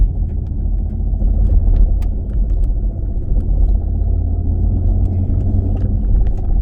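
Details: 2016 Dodge Challenger Scat Pack while driving: constant deep low drone under the car with no clear rhythm; worn driveshaft center carrier bearing.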